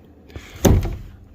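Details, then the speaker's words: 1999 Chevrolet Suburban GMT400 door, before new bushings and roller: one sharp pop with a dull thud on closing as a sharp lip on the door check hits its roller, with squeaking from the roller; door check pop on closing. "It's got a sharp pop when you go to shut it. The squeaking is the roller."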